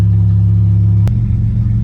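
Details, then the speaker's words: 1988-95 Toyota truck/4Runner 3.0 V6 4WD, idling after radiator and thermostat replacement while warming to operating temperature: deep, steady, raw low rumble; exhaust too loud because the catalytic converter is missing. "So like I said, you can hear it. It's missing the catalytic converter. I got a new exhaust coming for it, but it's super loud outside."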